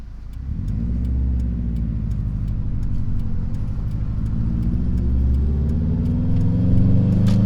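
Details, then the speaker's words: 2004 Subaru STI turbo, back on road after 2 years, still on old oil, ECU in learning stage (owner thinks it is probably pulling timing): revs climb smoothly under load at 9 psi boost, no knocks or misses; healthy. "Well, it's happy and I'm happy. 9 pounds of boost and everything is looking fine."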